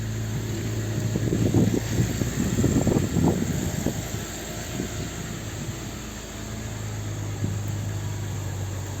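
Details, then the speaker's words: 2010 BMW Z4 idling smoothly and evenly after replacing the faulty camshaft sensor (intake/exhaust camshaft sensor signal codes P0340/2AA0/2AA1); the long crank time is gone, with some nearby handling clatter. "Voila. No more long crank time."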